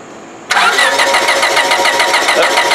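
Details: 1999 Honda Civic LX 1.6L, crank no start: starter spins the engine at a steady even crank about three and a half turns a second without firing; no spark, fixed by replacing the faulty ignition coil.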